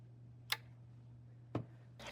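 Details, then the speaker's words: SAL-33 telescope mount, checked for grinding suspected from a faulty magnetic brake: power cycled, quiet hum with two sharp clicks about a second apart as the brake disengages and engages; the magnetic brake is working normally. "And I heard it every time, and that What that means is that when it's on, that brake just basically disengages so that the mount can move freely."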